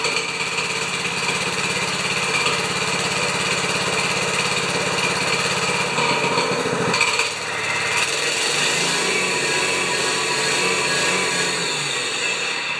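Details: 196cc plate compactor engine, choke on, after oil check and repairs: small single buzzes steadily, dips briefly as throttle changes, then settles into an even run; normal running.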